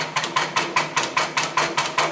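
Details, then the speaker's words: Graco QUANTM electric double diaphragm pump with operator raising speed so cycle rate picks up: sharp, even clacks roughly every fifth of a second with steady hiss between; cycling cleanly at higher speed, normal. "The pump will continue to do this basically indefinitely. An operator can come vary the speed. You will hear the cycle rate pick up."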